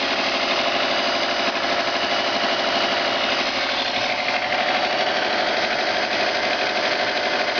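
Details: Subaru turbo engine at idle: fast, fairly even tapping knock about three per second; owner suspects piston, rod knock or bearings, not pinned down.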